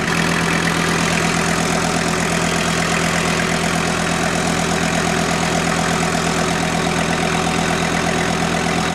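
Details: VW T4 Syncro van engine warm after major overhaul, with exhaust hot and power steering bled: smooth, even idle with a steady low drone, no knocks or misses, no leaks; normal idle.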